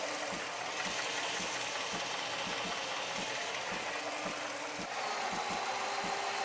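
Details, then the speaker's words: 2006 Jeep Commander 5.7L Hemi V8 at idle after lifter replacement for a lifter tick: smooth, steady idle with only light, even injector ticking, no stumble, shaking or misfire; check engine light off. Normal, healthy idle. "it's not shaking it's not idling rug there's no misfires the check engine light is off"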